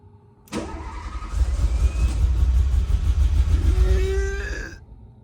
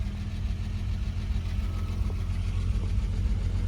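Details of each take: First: Renault Alpine GTA Turbo left for years in a storage locker, repeated starting attempts: starter churns steadily for about four seconds with faint fuel pump whine, but it never catches; no start before starting fluid. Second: Renault Alpine GTA Turbo, warmed up with oil pressure showing, after an injector was given 12 V to cure a misfire: low, smooth, even idle with no stumble. Normal idle before a test drive.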